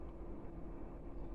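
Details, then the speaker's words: Chinese diesel heater starting up after a borrowed replacement motherboard, warming up, fuel pump not yet ticking: low steady fan hum with soft rumble; normal start-up, previously cut out with error code E-3 despite a suspected glow plug fault. "this is a good sign so far it wasn't doing anywhere where near this level it would have cut out before and it was showing a error code three so yeah I think that should have worked little bit of fan noise just"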